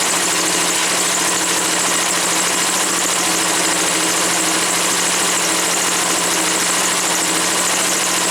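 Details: Woods 6180 zero-turn mower, 18 hp Briggs & Stratton Vanguard twin, after carb cleaning: steady, even idle with no surging or stumbling once the air filter top was removed; owner suspects the filter is plugged or oil-saturated.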